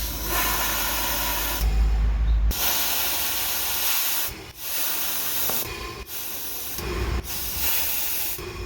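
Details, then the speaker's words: BMW 330i with misfires (P0171/P0174/P0300/P0313), intake boost leak test: loud steady hiss of escaping pressurised air, briefly cutting out, from a vacuum leak in the crankcase vent (CCV) system, suspected cause of the misfires. "Now we're going to do a boost leak test and see if we have any air leakage anywhere. I hear a huge vacuum leak. Sounds like it's coming from the CCV."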